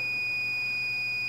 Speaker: right now i'm testing for resistance i have a set to make a sound when i've got resistance